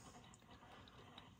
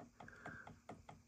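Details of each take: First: Heathkit Marauder HX-10 transmitter (1957-58 design) VFO tuning drive, after relocating the shaft collar behind the VFO bushing: quiet, light gear ticks with no grinding or binding. Normal, smooth tuning drive operation. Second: 1957-58 Heathkit Marauder HX-10 VFO tuning drive train as the dial turns: light sharp ticks about two to four a second, caused by end play between the two tuning-shaft collars.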